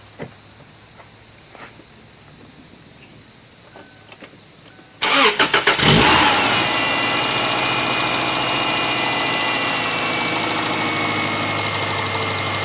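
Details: 2002 Subaru Outback started after replacing the broken alternator/power steering belt: engine catches quickly and settles into a steady, even idle with no knocks or squeals; sounds healthy.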